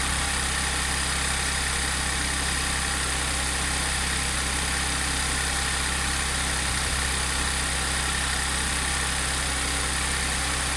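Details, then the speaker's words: Audi S4 3.0T supercharged V6 on first cold start after driveway bank 2 timing chain repair (P0016/P0018), start-up rattle gone. Smooth even fast idle hum without ticks, rattles or chain slap; normal high idle. "wait for it to kick off the high idle and see what it sounds like on low idle"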